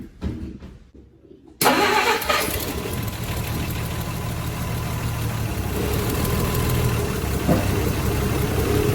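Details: Engine pulled out and left to idle: catches, runs and idles perfect at first, then settles into an uneven "pa-poo" stumbling stutter.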